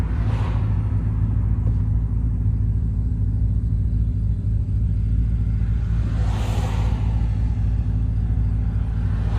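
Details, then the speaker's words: 1991 Porsche 944 S2 swapped to a Chevy 6.0 LS L77 V8: deep, steady rumble at idle with an even beat and no misses or ticks; idles strong and healthy. "hear right now it idles very strong it's really good"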